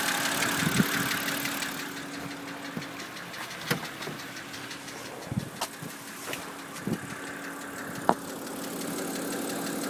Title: Стук в двигателе N52B25